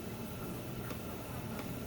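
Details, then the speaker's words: 3D printer Berd Air cooling with a standard kit pump: quiet steady hiss and low hum with faint light ticks; running smoothly, vibration audible only when touched. "So I mean, this thing is running right now, and that's how quiet it is."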